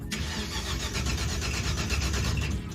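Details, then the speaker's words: Stretched '86 Chevy crew cab dually V8 after replacing the distributor, coil and wiring: steady starter cranking at about four compressions a second without firing; no spark, suspected from two failed ignition boxes. "There's no spark, dude. This is ridiculous."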